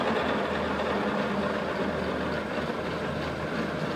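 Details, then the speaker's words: Test bench, speed raised by winding the handle as the pulleys change: steady even whirr with a faint low hum, no knocks or rattles; goes quiet at full speed, spinning smoothly and healthy. "But, when it gets to that speed up, now at that rapid stage, you can see the pulleys start they're changing as I wind the handle. It goes quiet at full speed."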